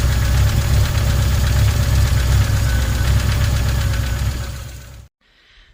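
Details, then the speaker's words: MGB GT classic engine with SU HIF4 carburetors, timing light on cylinder 1 HT lead; steady slightly lumpy idle around 160 beats a minute before cutting off; ignition timing out of adjustment, needs setting. "So I'll start the engine and I'll show you an indication of it running with the gun pointed at it so you can see the marker, and then we'll have to adjust the timing for this car."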